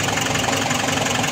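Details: Nissan NV350 van that cranked but would not start after water flooding; the body control module was replaced, and it now gives a short, even idle hum with a steady pulse and no stumbles; normal idle after repair.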